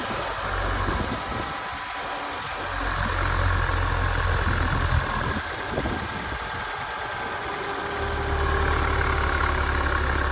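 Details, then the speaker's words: 2021 Chevy Silverado 1500 2.7L with 45,000 miles, idling evenly with the oil filler cap open; a soft hiss shows slight suction, normal crankcase vacuum, before PCV valve replacement. The truck runs fine. "so yeah this is the suction that I get yep so um but the car runs fine and it has only 45,000 miles on it"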